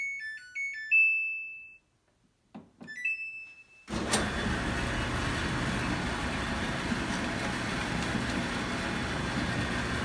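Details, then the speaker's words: Samsung front-load clothes dryer running: constant loud tinny buzzing rattle like two pieces of tin rubbing, caused by the loose round inspection plug in the base left of the heater; removing it silences it. "in my case it was just a loud tinny buzzing noise and it sounded like two pieces of tin rubbing together but i had a heck of a time finding it"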